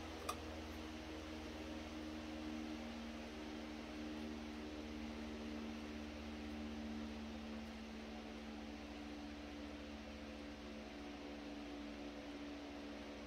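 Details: Century S-3 Model 15 skeletal frame desk fan, over 100 years old and restored after many issues, on slow speed, the owner's favourite because it is quiet enough to sleep to; soft even hum, gentle steady whir, no ticking, rubbing or wobble; normal quiet running.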